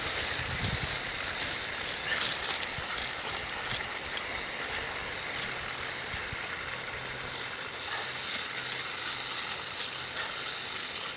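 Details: Drip irrigation line under pressure: a steady, soft high hiss with no rhythm; water escaping from a leak in the drip line.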